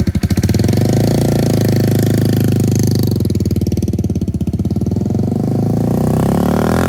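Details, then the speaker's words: 2002 Suzuki GZ250 single, straight-pipe exhaust, after carburetor needle shim adjustment that cured a throttle dead zone: loud open-pipe thump, picking up cleanly as throttle opens with no hesitation; choke now needed only 1–2 minutes. "in addition the bike seemed to warm up quicker only requiring the choke to be on for one or two minutes of driving"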